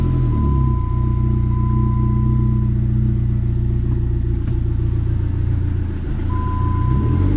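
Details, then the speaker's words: Dodge SRT4 manual gearbox after repair of a failed aftermarket clutch pivot ball and a broken throw-out bearing retainer: engine hums steadily as it runs through the gears, with no rattle, grinding, whine or clunks. Transmission operating normally. "first all right so everything is good to go right here right now [Music] running good"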